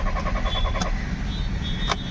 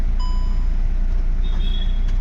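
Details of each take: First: Audi Q3 diesel, sat parked two days, now cranks but won't start: starter turns the engine steadily with no firing or catching; diagnosed as a failed fuel pump, DTC P3073. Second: Audi Q3 diesel that cranked but would not start, after fuel pump replacement (fault code P3073 cleared): low, even rumble with no misses, knocks or surges; normal smooth idle, starting problem solved.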